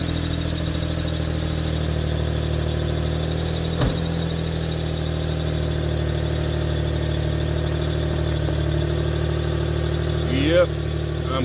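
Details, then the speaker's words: 2004 Toyota Sienna at idle: even idle with raspy puffing rhythm and strong low drone from the front, louder front than rear; exhaust leak at the suspected original factory Y-pipe, fixed by replacing the Y-pipe. "the Rory has developed a bit of an issue where it is louder in the front than it is in the back. I don't like that."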